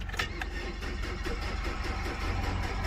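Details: 2003 Nissan Altima 2.5 L four-cylinder on a jump box, no battery fitted, steady starter churn at about four compressions per second, never firing: crank no start, CAN communication fault code in the BCM suspected, not confirmed.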